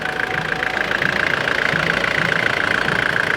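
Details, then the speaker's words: 1993 Nissan Terrano diesel after hard-starting repair, leak noted: even diesel clatter at steady idle, about three and a half beats a second, no stumbling or hunting; engine okay now. "lang okay na yung engine paps"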